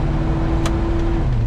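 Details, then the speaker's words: 1973 Chevy C20 with swapped used 4L80E automatic, revving out first gear and upshifting into second: steady engine drone under road noise, pitch dropping smoothly on upshift; clean, firm shift, no slip. "Second. Third. Fourth. And lock up. That's lock up."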